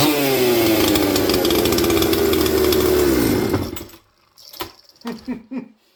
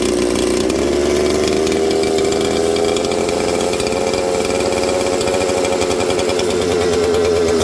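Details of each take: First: Mystery 200-series "266" chainsaw from the junkpile, cold shop: crisp, steady high-revving buzz holding a clean pitch, then cutting off; runs smoothly after carburetor tuning, took the low jet well, slightly lean at first start. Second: Junkpile 200-series two-stroke chainsaw idling: buzzy idle with a wandering pitch that slows when spray is applied near the crank seal behind the oil pump, pointing to a crankcase air leak at a leaking crank seal.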